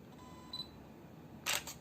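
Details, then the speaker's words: Yongnuo 42.5mm f/1.7 MFT lens on a camera with AF on and the shutter at 1/50. A faint buzz and then a brief rattle of clicks as the aperture blades reset, similar to the Panasonic 25mm f/1.4; the reviewer dislikes it. "You hear those? You hear that? The sound of the aperture blades. It sounds a lot like the Panasonic 1.4 25mm from a while ago."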